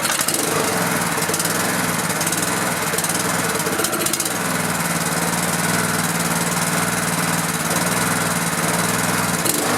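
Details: Honda GX pressure washer engine that sat about 10 years, right after the coil was re-gapped. It runs steady and even with no misses or knocks, though the owner then says it doesn't sound good and needs choke for fuel.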